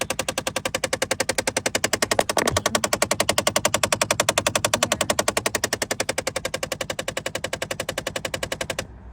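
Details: Jeep Compass knocking and ticking from the dash: fast, very even plastic clicking, nearly four a second, then stops; blend door actuator with a cracked gear and missing teeth, fixed by replacing the actuator.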